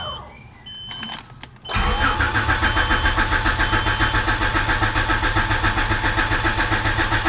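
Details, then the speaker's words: Honda CRX after fuel tank and Walbro 255 fuel pump install: a few chimes, then a steady crank at about four turns per second that never fires despite the pump running; crank-no-start with no fuel delivery. "okay so it is some time later and despite all that cranking that we were doing and the fuel pump running the car still would not start"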